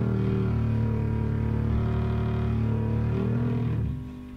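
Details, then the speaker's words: Tube amp at full volume: low putt-putt pulsing about four times a second over the 120 Hz hum, stopping when the volume is backed off. Classic motorboating from amp instability. "that's what's doing in a volume those the cursor here farm goes down farm goes back up it sounds like something straight out Star Wars you know some alien creature but that is what a motorboat sounds like"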